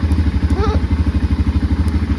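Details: 2005 Can-Am DS650 quad, bought for $1000, started before a test ride, oil pressure/coolant light went off instantly: regular deep thumps about ten per second, steady and even with no knock or clatter; healthy idle.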